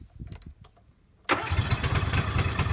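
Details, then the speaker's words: Key-start garden ride-on machine, started with the choke pulled fully and the brake pedal pressed. A few quiet clicks, then it fires at once and holds a steady, even run; normal start. "voilà, ça démarre. Voilà, ça démarre."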